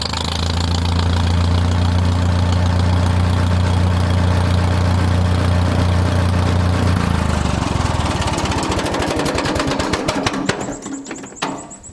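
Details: 1948 Farmall M tractor just delivered: deep steady low thrum with even beat for seven seconds, then shut off and winds down; runs well.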